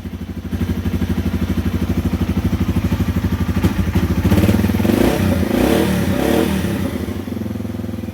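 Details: 2010 Yamaha TW200 single-cylinder, 4,500 miles, after a new X-Ring chain with new sprockets: a steady thump that rises and falls smoothly with the throttle; engine and clutch sound healthy.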